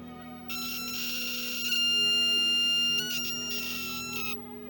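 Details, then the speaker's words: Homemade buck-boost converter in current-limiting mode with EI-type transformer: loud, steady, piercing high whine with ringing overtones; transformer windings buzzing unbearably loud. "Por otra parte, este es el transformador eh tipo Ei. Hace eso. [música] Es muy insoportable el ruido que hace."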